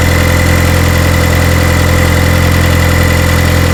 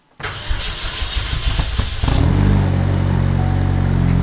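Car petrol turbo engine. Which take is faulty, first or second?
second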